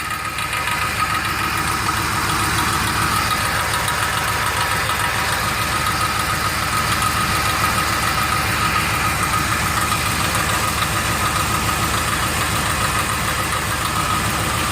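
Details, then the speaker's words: 2003 Ford Explorer idling, recorded at the catalytic converter: light, uneven metallic tapping about three per second, like someone tapping on it; broken converter internals rattling loose and plugging the exhaust, causing low power, not engine knock. "sounds like someone's tapping on it. And that, my friends, is where my noise is coming from."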